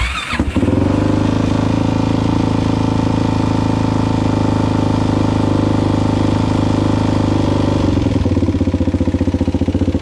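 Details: Suzuki LTZ400 single-cylinder quad warming up before a valve clearance check: steady idle thump with a dry mechanical chatter on top, then a light throttle blip; sounds rough, cause suspected, not confirmed.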